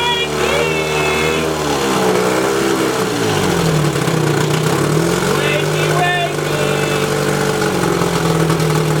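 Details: 1972 Evinrude 18 HP outboard revived after sleeping over a decade, 130 psi per cylinder, new points and condensers, cleaned carburetor set two turns out, throttle worked by hand: steady two-stroke buzz, even idle, smooth blips; runs normally, though not peeing water yet.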